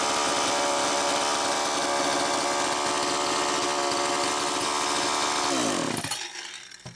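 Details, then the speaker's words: Homelite Super EZ two-stroke chainsaw, first test run with the high-speed and idle screws far out. Screams at a steady high pitch and won't idle down (should idle about 2500–2800 rpm), running lean. Air leak suspected, carburetor or crank seal. "uh it's definitely leaning out see how far out a the high speed screw is and b the idle and it's still not idling down so there's something going on"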